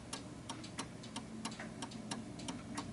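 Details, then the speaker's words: 1930s 8-day striking oak-case Enfield mantel clock with the pendulum just hooked on: a crisp, steady tick-tock at about three beats a second, running evenly and in beat. "So what you're listening to is a tick-tock, a perfect tick-tock."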